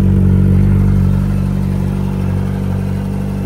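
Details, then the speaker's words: 2004 Yamaha R1: quiet at idle, fast light ticking about four a second only when revved; owner suspects the tensioner, and the noise did not worsen under load, ruling out bearing knock. "So you hear when it's idling it's not doing anything. It's only when you rev it up. You can hear it tiek. I say it's the tensioner."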